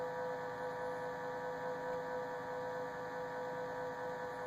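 A steady high whine near 500 Hz with a faint hum, constant throughout; the fridge is whining, cause not evident.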